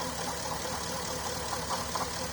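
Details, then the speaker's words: Porsche Cayenne 955 running rough under 3000 rpm with misfire fault, on left-hand fuel pump alone at only 2 bar instead of 4: uneven, lumpy idle with irregular stumbles; left-hand fuel pump confirmed faulty, to be replaced. "now this is the left-hand side one all right i'm gonna start up now as you can see that one's not running properly running near 200"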